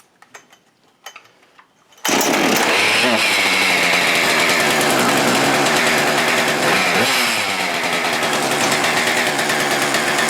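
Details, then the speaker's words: Husqvarna 575XP (early 576XP) two-stroke saw after replacing the failed integral crank seal with a radial seal, running with no flywheel weight and the oil pump refitted to seal the bottom end: fires up and revs sharply to a clean, steady high note, healthy. "Amazing what happens when it has no flywheel weight. Some real snappy acceleration, right?"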